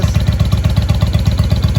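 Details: 1995 Honda Shadow VLX VT600CD V-twin idling after first start in years, air filter off, baffles drilled out; loud, deep, even lumpy beat with no misses, idling real nice; normal idle.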